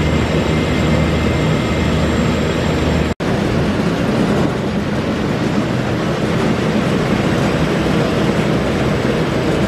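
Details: Massey Ferguson 40 combine (possibly 1996), sat 3 years, fuel and electrics refreshed; constant heavy diesel rumble at steady speed, no knocks or misfires, rattling drone from the shaking machine; normal running.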